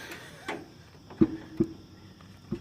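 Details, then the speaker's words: Trailer wheel hub rocked by hand gives soft knocks; bearing has a bit more play than liked, possibly because the nut teeth didn't line up when tightened, needs checking. Trailer wheel bearing play. "hear that that's all the wobble you won't miss almost too much I'd say but I'll need to check it"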